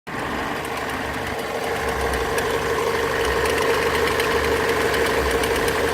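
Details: Mazda 6 MZR-CD 2.2 diesel at idle: sharp, regular relay-like clicking about three times a second over the clatter, more frequent with electrical load (lamps, fog lamps) on; owner suspects alternator freewheel/loose pulley, unconfirmed.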